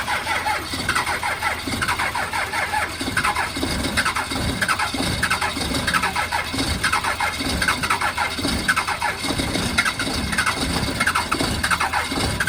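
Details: A 12V Cummins diesel cold-starts on a Montana winter morning after warming with a heater, with fuel additive in the tank; it catches rough and lumpy with uneven firing bursts and a squeal, smoking: rough cold start.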